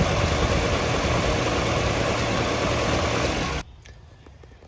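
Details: 1964½ Ford Mustang coupe V8, before restoration, possible fuel or water pump leak: holds a steady even idle for several seconds then shuts off, no knocks, misses or rattles; normal idle.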